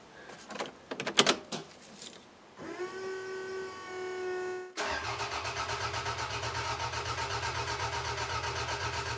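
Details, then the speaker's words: Toyota MR2 engine cranked for first time after rebuild, including rebuilt oil pump; after some clatter starter spins it in even chugs about four a second without firing, turns over freely; oil light flickered, didn't go out; no leaks. "Oh, I'm so happy it at least turned over. I generally wasn't convinced it would."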